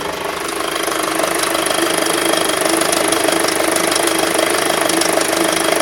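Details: 2006 Skoda Octavia vRS 2.0 petrol TFSI with 70k on the clock, cambelt done twice, warm idle. Rough running with a light, fairly regular tapping about two a second that appears only once the engine has warmed.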